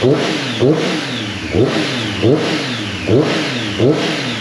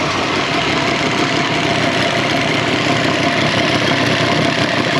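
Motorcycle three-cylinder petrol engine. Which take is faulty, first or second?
second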